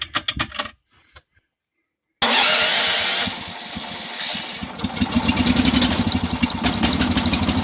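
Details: Karakat (balloon-tyre all-terrain vehicle) cold start with choke/enrichener: a few cranking bursts, a pause, then the small petrol engine catches and settles into a quick, steady popping idle; normal start.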